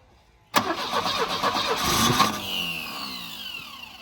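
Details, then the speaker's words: Volvo 745 Turbo that had sat: starter cranks steadily at about two and a half turns a second with no knocking but won't fire, even with starting spray and the fuel pump jumped; crank, no start. "why won't it run fuel pump even jumping the fuel pump still doesn't run"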